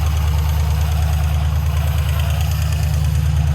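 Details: LS-swapped 1968 Ford Bronco with a 5.3 LS V8 on first start: deep steady idle with fast, even light ticking on top, caused by four bad lifters, since replaced; oil pressure 37, possible exhaust leak noted.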